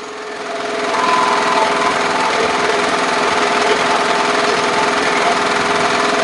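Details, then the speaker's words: Briggs & Stratton lawn mower engine revving too high, after dumping suspected watery fuel and adjusting the governor spring: loud rapid uneven rattling and banging, running rough; owner suspects leftover water in the carburetor, and the muffler is loose. "sounds like something's banging a little bit and it's kind of lining might still be a little bit of uh water in that carburetor that it's working out"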